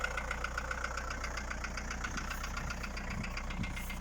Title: Стук в двигателе Фольксваген Пассат б4, 1.9 td. AAZ Стучат поршня.